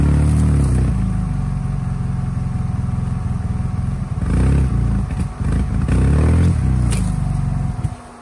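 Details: Polaris RZR just after a head gasket replacement, first start-up: the engine stumbles and sags each time throttle is added, finally dying near the end. Owner suspects the mass airflow sensor, throttle position sensor less likely.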